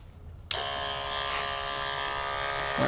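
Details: 12-volt DC diaphragm pump (rated 9–14.4 V, about $12 from eBay) for a homemade portable shower and sprayer, just switched on. Even, steady buzzing whir for about two and a half seconds with no knocking or rattle; running smoothly.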